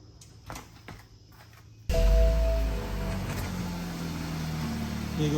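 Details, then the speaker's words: BMW 328i (F30 series) at idle after the exhaust rattle was fixed: a few quiet clicks, then the engine starts and settles into a smooth, low idle with no exhaust rattle. A loose or dropped fixing bolt was the cause. "I don't hear any rattling noise. Okay. So, that fix our problem in the rattling noise in the exhaust."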